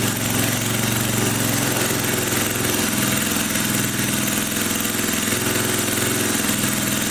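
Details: 1980 power tiller (rotovator) with Briggs and Stratton engine, running after spark was restored; carburetor cleaning may not be needed. Steady, even single-cylinder putter, no clacking or misses; normal running.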